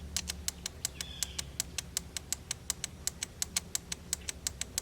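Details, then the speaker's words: 1989 Volvo 760 Turbo revived after 15+ years in a barn; injector fed 12 volts directly: crisp, even ticking about five or six a second, normal fuel injector clicking. "I'm going to hit the first injector just so y'all can hear the injector clicking."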